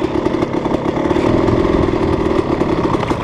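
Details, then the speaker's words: Dirt bike with Rekluse auto-clutch rolling off at low speed after a throttle blip; fast even thudding pulses as clutch stays locked, giving strong normal engine braking. "Hear it? That's recluse engine braking. Woo, some serious engine braking with the recluse."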